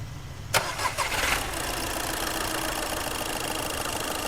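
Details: Skoda Fabia brought in for smoke, no pickup and a check-engine light: brief crank, it fires at once and settles into a steady, even idle with no misses or knocks, starting and running fine.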